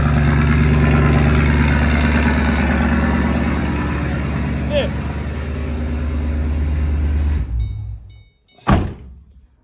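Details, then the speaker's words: S197 drift car, low on fuel, started and left to idle with the door open: steady, even low rumble at about three beats per second with no stumbles. It is already running a lot better; normal idle. "it's already running a lot better."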